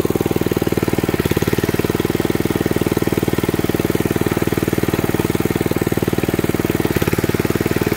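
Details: 1979 Mountfield M1 Monarch 5HP rotavator, first run in over 20 years after a replacement coil, fuel pump diaphragm, spark plug and exhaust, at a steady single-cylinder putter with the tines turning; healthy, normal running under load.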